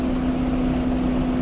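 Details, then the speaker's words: Chevrolet Caprice engine after the backfire problem was fixed: smooth, even idle with steady low hum and no misses, pops or knocks; runs better, though the transmission still needs replacing. "After that backfire thing got taken care of, just did it you can just kind of hear it it runs better like just that idle or what not and"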